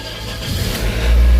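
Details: 2007 Toyota Altis previously hard starting, needing two starts, because fuel pressure was dropping. After the fuel system was restored to original, it catches on one click and builds into a steady rising rev: a clean, healthy start.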